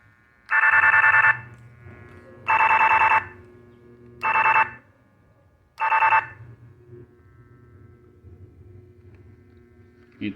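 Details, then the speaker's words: Electronic gate remote tested with an AM radio tuned nearby: four sharp raspy buzz bursts of about a second each, one per button press, showing the remote is emitting its frequency normally. "esse ruído que vocês acabaram de ouvir aqui é o ruído a frequência sendo emitida no momento que se pressiona o botão do portão"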